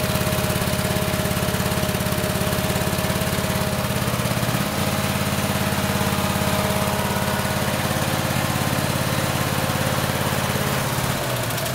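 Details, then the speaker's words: Craftsman lawn tractor, Kohler 26 hp Courage V-twin, before the coil conversion. It chugs with a lumpy, uneven beat around three pulses a second, running on one cylinder with a dead ignition coil; the spark tester does not light on that side. "so as you heard there doesn't sound quite normal you can tell it's running on one cylinder and you could see in my tester here that it was not lighting up"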